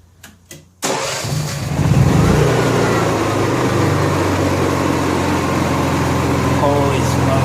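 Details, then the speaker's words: Honda EXW171S welder generator, sat in a barn over 5 years. A few handling bumps, then the engine catches at once and settles into a steady, even drone with no stumbling; it runs fine. "well getting what I thought was going to turn into an interesting video on this Honda II xw1 71s welder generator is turned into it runs fine"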